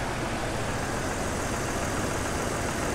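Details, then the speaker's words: Jeep XJ project, after first start-up scare feared as rod or spun bearing proved minor: even, steady idle hum with no misses or stumbles, purring smoothly. "now she's actually purring like a kitten"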